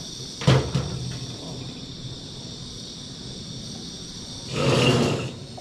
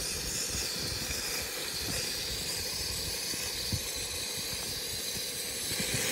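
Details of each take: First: Campy Gear Chubby 2-in-1 propane heater on a one-pound tank: steady even gas hiss with soft roar and handling knocks, burner running normally for now, though the weak-flame problem returns shortly after. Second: Campy Gear Chubby 2-in-1 portable propane heater and stove: a loud, constant roaring hiss as the burner flashed into huge flames, getting the wrong mixture; owner suspects a leak or a clog in the hose.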